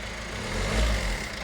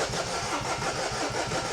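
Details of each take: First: Peugeot Berlingo diesel van after timing chain replacement, restarted once the suspected airlock cleared: even, smooth idle with a steady low beat, no misfire or knocking, no valve damage; lifters briefly tappy while filling with oil. Normal idle. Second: Peugeot Berlingo diesel van, first start after replacing the failed timing chain: it chugs unevenly for under three seconds, then cuts out on its own; diesel had run back with pipes off, fault codes still to clear.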